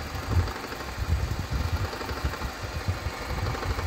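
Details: Idling engine in neutral with the clutch pedal released: an uneven low rattle from the gearbox area that disappears when the clutch is pressed. Worn clutch disc damper springs are suspected as the cause.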